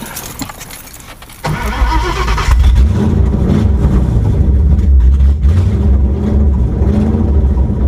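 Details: Ford Crown Victoria 4.6 DOHC V8 with low compression, after replacing a bad ECU: starter cranks, it catches straight away and settles into a steady, even, healthy idle.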